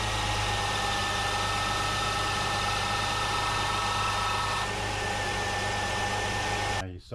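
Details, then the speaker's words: 2002-2005 Jeep Liberty at idle with A/C on: engine tone shifts as compressor clutch cycles on and off too often; low refrigerant via low pressure sensor is most common cause; A/C compressor clutch short cycling. "This was cycling on and off way too many times. And the most common cause of that is low refrigerant."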